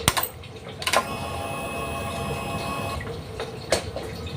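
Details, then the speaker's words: Honda Vario 125 LED, hard starting with MIL code 12: after a click, fuel pump primes with a high-pitched hum about two seconds at key-on; the hum is intermittent and sometimes weak. "pulpam berdengungnya kadang berbunyi kadang tidak padahal am ini menurut saya bagus"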